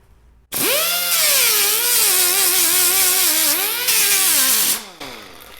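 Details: Old Allen Air pneumatic sander after repair with four new O-rings (before: internal leak, no torque under load): strong even whine dipping and recovering as 24-grit disc grinds a pipe; grinds properly now.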